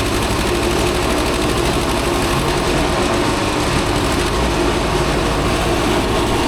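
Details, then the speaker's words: Old Asplundh JEX chuck-and-duck wood chipper running: loud constant grinding clatter with no letup, too much noise for a drum that shouldn't touch anything; owner suspects the water-contaminated bearings. "You hear all that noise? Wow. I just can't feel comfortable that these bearings are okay with that much noise."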